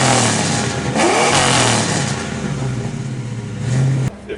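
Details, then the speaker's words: Suburban V8 with new headers, spark plug wires, clutch slave and dual clutch flywheel: revs up and settles smoothly, free-spinning with less mass and no clutch or slave noise; healthy rev. "Light, like there's like feels like there's feels like it's spinning quicker than it was."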